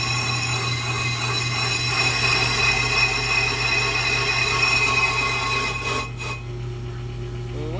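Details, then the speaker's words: Bench brake lathe machining a rotor from a GMC Sierra 2500HD, chatter spring fitted, bit parked in one spot: steady motor hum with light scraping tick about three times a second as the bit cuts only part of each turn; uneven rotor deeper on one side. "but even then you can hear it it's only cut like you can hear the yeah"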